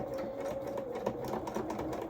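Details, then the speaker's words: Sewing machine zigzag-stitching and reversing along a garment hem: fast, light needle chatter with a loose bobbin rattle beneath the stitching; the rattle is only a concern if the machine stops. "Oh, you can hear that bobbin rattling. only got a problem when it stops."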